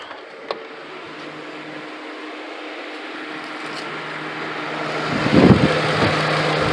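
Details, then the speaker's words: 2002 Ford Crown Victoria P71 Police Interceptor at idle: a soft whoosh builds as the electric cooling fans kick on. Normal cooling fan operation. "Alright, so cooling fans do work."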